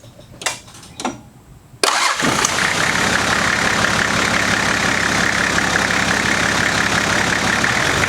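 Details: 1991 Nissan Patrol GQ TD42 naturally aspirated diesel, previous owner said it ran low on oil and now has a rod knock: cranks, catches, busy clattering idle with steady knock; cause unconfirmed.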